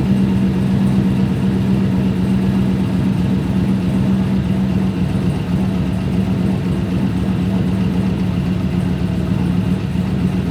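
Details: Turbo Pontiac Trans Am WS6 V8 after cooling system refill: smooth even low idle rumble with steady hum, no knocks, misses or hunting; healthy idle.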